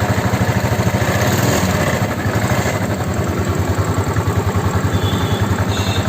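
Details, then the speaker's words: Royal Enfield Classic 350 at about 80,000 km, after an engine rebuild with new crank bearings to cure a crank noise: steady, even single-cylinder idle thump of about 2.5 beats a second with no knock or rattle. The crank noise is gone. "பார்த்திங்கன்னா முன்னாடி இருந்த crank noise இல்லை, ஃபுல்லாக நம்ம crank எல்லாமே வேலை பார்த்து போட்டாச்சு, ஒர்க்கும் முடிஞ்சிச்சு."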